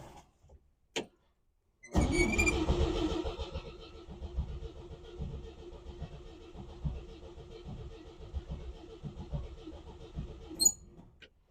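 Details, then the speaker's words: 1957 Chevy 3100 truck, a former farm truck that sat for years as a yard ornament: the starter turns the engine over in an uneven rhythm for about nine seconds but it never fires. Crank, no start, cause not confirmed. "oh boy you usually start right up sitting for years"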